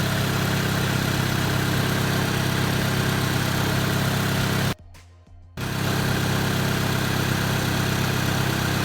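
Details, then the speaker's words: Honda EJ1 idling after brake booster vacuum leak repair, brake pedal pressed: steady, even idle with no hiss from the booster; holding vacuum, fix not yet confirmed by extended driving. "press the brake pedal see if we hear the hissing noise from the car again so it's holding pressure doesn't seem to be leaking"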